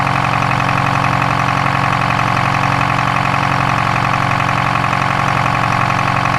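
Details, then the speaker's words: Detroit 4-53TIB diesel idling after a turbo swap from a Garrett T04E .96 A/R to a .81 A/R housing, exhaust clamp torqued, checking for leaks: a steady, even deep drone with a regular beat and no misses, knocks or hunting, turbo more audible. "but it sure sounds nice you can hear a bit of the turbo more now yeah that's pretty nice"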